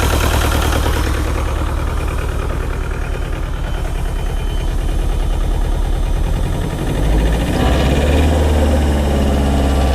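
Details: Bobcat T595 skid steer with Doosan diesel held at cold idle: heavy lumpy idle with a steady low knock, still missing on a cylinder, heavy white smoke and fuel smell; probably an injector stuck open; can't run under hydraulic load.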